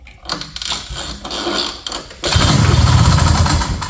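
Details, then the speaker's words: 1970 Ski-Doo Olympique 335 two-stroke snowmobile, bought at auction, kill-switch pigtail unplugged, carb cleaner sprayed: one pull starts it, settling into a rough, fast, low idle; starts and runs normally. "That was easy. Oh boy, this project might be a little too easy. That is a good sign. Good old two-strokes. Nice and simple."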